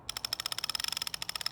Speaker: i can also pull from the other side and i know that that's my slack side or my control side when i pull i should hear the clicking of that pulley